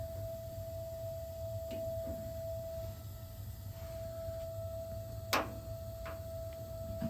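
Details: Gas water heater just over a year old, expansion tank on cold line at 50 PSI: steady thin mid-high whine over low burner rumble, only while burner is on; stops when burner off, unaffected by releasing pressure.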